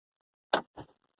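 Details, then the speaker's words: Car that overheated somewhat and made a loud rattling noise, now won't crank: one sharp click on the key, faint echo, then silence; accessories work but the clock resets. Single click, no crank, cause unknown. "Wow click and nothing everything goes doing doesn't come back"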